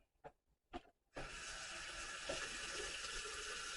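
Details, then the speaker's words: Bathroom sink faucet after replacing the 3/8-inch angle valve: handle clicks, then a steady, even hiss of water flowing freely with no sputter; slow flow was traced to a malfunctioning faucet, and normal flow is restored. "Much better. There it is. So it was actually the faucet that was malfunctioning, but I'm okay with the fact that I replaced the valve, because I eventually would have replaced the valve anyways, and I couldn't have turned the valve off if there was a problem."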